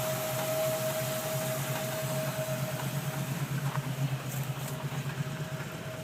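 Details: 1994 Land Rover Defender 90 4.6 at idle: quiet engine with loose, irregular pulse near three beats a second and faint steady tone, with tapping and vibration; rough idle, cause not yet known.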